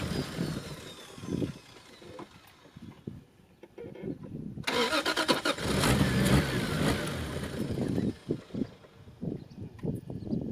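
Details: Toyota MK3 Supra with a rebuilt 7M-GTE turbo engine starting after the rebuild and a timing reset. Sputtering cranking, then it catches, revs up cleanly and settles into an even idle without stalling: a normal start.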